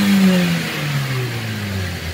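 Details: Manual car checked after driving through a flood in second gear at 2000 rpm; it gave white smoke on first warm-up and makes an air-release noise when the clutch is pressed (owner suspects wet clutch). The throttle blip eases down in a clean, even drone without misses or rattles. Revving is normal.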